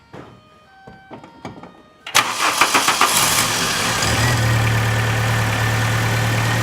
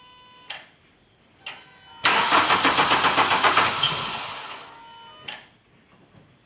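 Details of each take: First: 2000 VW Cabrio (MKII) that turned over but would not start, fixed by substituting a used ignition coil from an MK2 Jetta; the original coil was found cracked. After a few cranking strokes it catches and settles into a steady, even idle. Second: 2000 VW Cabrio (Mk2) cranks but won't start, making a brief firing attempt only when the key is released from the start position. The starter cranks evenly at around four beats a second. A bad ignition coil is the cause.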